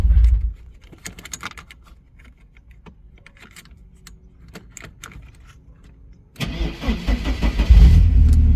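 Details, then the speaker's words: 1988 Porsche 944 race car, sat for months and stored under a cover, restarted after being shut off: engine catches cleanly and settles into a steady, strong idle; starts pretty good, healthy start. "Starts pretty good."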